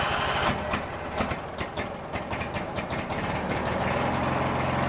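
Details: Craftsman 19.5 riding mower, back together after ignition switch replacement and refuelled: small engine catches after a few rough pops, then settles into a steady, even putter with no misses; running normally.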